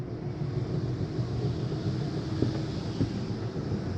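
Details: 2018 Superlite 29KSWS RV, slide 2 being run out from the interior control panel: even low motor drone held steady for several seconds under some wind noise, no grinding or clicking; slide-out running normally.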